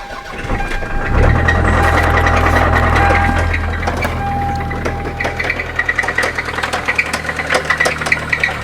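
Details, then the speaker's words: Engine cranks, fires and idles with a sharp regular knock about three a second from a Toyota Celica's 2.2L engine with 233K miles; rod knock, motor considered shot. "can hear it. That's a rod knock. So this motor is pretty much shot."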